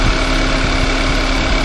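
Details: VW Tiguan engine at idle: steady idle with faint light tapping riding over it, like chain slap; broken accessory belt tensioner.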